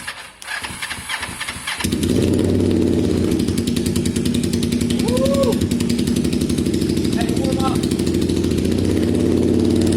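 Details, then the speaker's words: Motorcycle: the starter cranks briefly, then the engine catches and settles into a strong, steady, even exhaust beat. Healthy engine start. "wow mate it sounds healthy"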